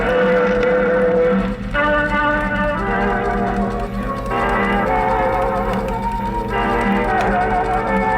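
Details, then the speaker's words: 1947 Silvertone radio/phonograph/wire recorder, wire recorder playback after three days of repair completing the B+ circuit: clear, full-volume music with steady tone and no hum, dropouts or wow. "3 days of working on this that sounds pretty good congratulations"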